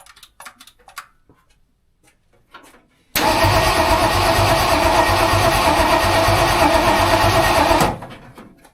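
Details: Rebuilt budget-build Ford 302 V8 in a tow truck, first start-up after clutch, flywheel and distributor install: silence, then about five seconds of steady cranking that never catches; fuel starved, runs once more fuel is added.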